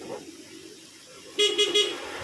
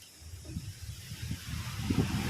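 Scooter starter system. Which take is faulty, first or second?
second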